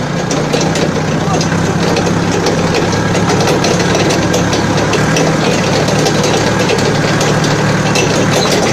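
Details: Balkancar diesel forklift after repair, with engine, clutch, brakes and running gear overhauled. Steady, even diesel clatter at idle with no surging, knocking or misses; the engine runs healthy and settled.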